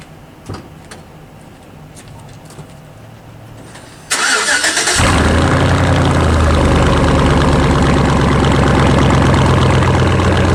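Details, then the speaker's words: 2006 Chevy Silverado V8, bought with under 80,000 miles, true dual exhaust with catalytic converters only and no mufflers: starter spins, engine catches with a loud unmuffled burble and settles to a steady, even idle; healthy, transmission shifts well, no leaks. "it's good running truck has a nice shifting transmission no leaks now true dual exhaust catalytic converters only no mufflers no glass packs let me start it up for you guys can hear it"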